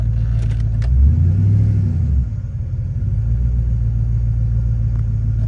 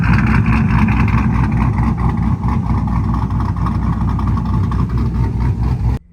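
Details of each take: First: 2000 Silverado, 5.3 Vortec LS with Stage 3 cam and 92mm aftermarket throttle body, in park after drive and reverse: revs climb and hang high, then settle into a steady elevated drone. Stuck high idle; owner wonders about the throttle position sensor. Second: 2000 Silverado 5.3 Vortec LS with a Stage 3 cam and 92mm throttle body, after a new idle air control valve and idle relearn: steady low rumble just under 1000 rpm with no surging, then shut off.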